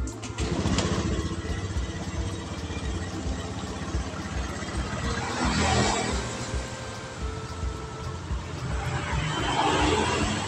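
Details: Honda Beat Street scooter after battery replacement (weak old battery caused a failed electric start and sudden stalling): starts on the button and settles into a steady, even putter with street noise around; healthy idle.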